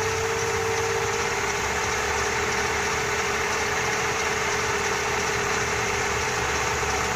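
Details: Four-cylinder Dodge Dakota with rebuilt Holley carburettor and electric fuel pump, after mixture adjustment: smooth, even idle with steady hum and no misses, stumbles or hunting; normal idle.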